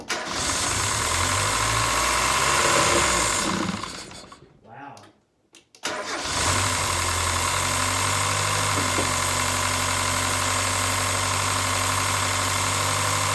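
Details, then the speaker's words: Miata with a rebuilt engine, headers smoking and the MAF and intake just refitted: fires after a short crank, dips, then idles with a slight surge. Air in the coolant lines is suspected. "you also heard a bit of a surging idle there's one of two possibilities uh each of which i would totally not be surprised at"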